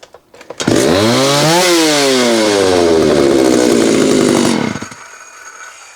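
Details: Homelite 330 chainsaw after carburetor and intake boot repair: small two-stroke screams at high revs, pitch sagging, then cuts dead after about four seconds; 100% ignition loss from a wire rubbing near the muffler.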